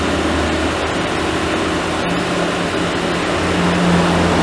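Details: Chevrolet Onix 1.4 automatic LTZ at its 40,000 km service, idling after a new timing belt, with timing confirmed by oscilloscope: steady, smooth idle with an even low hum and no knocks or ticks, sounds healthy.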